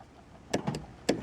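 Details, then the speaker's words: 2006 Honda CR-V passenger-side power door lock, which locks and unlocks by hand: two short, faint whirring buzzes with no lock clunk, so the actuator tries but doesn't move; faulty actuator suspected before replacement. "It just doesn't do anything with the power. I mean, it sounds like something is happening, so there is that."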